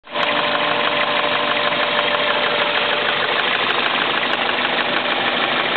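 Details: Toyota Celica at warm idle: quick, slightly uneven ticking knock about three times a second over the engine hum, absent when cold and starting once warm; oil level full, dealer suggested fuel injectors, owner suspects rod knock; unconfirmed.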